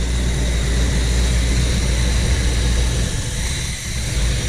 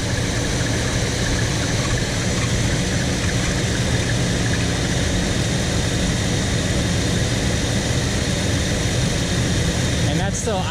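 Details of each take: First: 1975 Chevy C10 with factory Quadrajet carburetor, after fixing a high warm idle (about 1600 rpm); now steady, low, even V8 idle, normal. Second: 1975 Chevy C10 V8, factory Quadrajet, warm: high idle near 1600 rpm persists with idle screw backed off and PCV plugged; secondary throttle blades not closing after carb rebuild.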